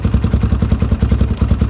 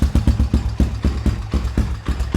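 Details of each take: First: Honda 300 EX ATV after fire-damaged wiring, started with choke on: even, steady thumping at about ten beats a second with no misses or knocks; single-cylinder engine idling smoothly. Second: ATV just restarted after stator reinstalled: fires right up, runs at a quick uneven lope, nearly dies then picks back up; running rich with the choke on.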